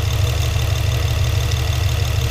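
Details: Infiniti G35 Coupe on a warm engine, after fitting a new filter, Blox velocity stack on an LMT 4in intake and a PMAS HPX MAF, glass cleaner sprayed around the throttle body for leaks: steady low idle, even pulse, no hunting or hiss; no intake leak.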